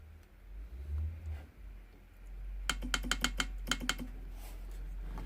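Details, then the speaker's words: Range Rover Sport air-suspension compressor (appears to be a BMW unit) on the bench, exhaust valve energized. A run of crisp, consistent sharp solenoid clicks, about a dozen in just over a second. Valve actuates, sealing unknown. Normal valve clicking. "I'm just going to show you that the exhaust valve uh well I don't know if it's seiling and whatever but it definitely clicks"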